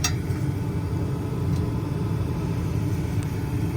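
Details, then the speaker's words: Lennox gas-pack unit with an ignition problem, fired up after the cabinet was reassembled: burners all lit strong, steady low rumble of burners and blower with no surges, rattles or cycling off; normal running. "Knocked off the recording, but they did all light. I could hear it. It was strong. We are good to go."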